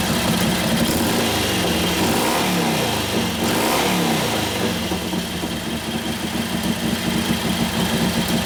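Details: 1941 Harley-Davidson WLD 45 flathead V-twin, custom 56ci stroker build, warm and held under hard brake load in second gear: an even, strong beat that revs right through with no misses or pops. It sounds healthy, better than before, and sounds like it has a cam.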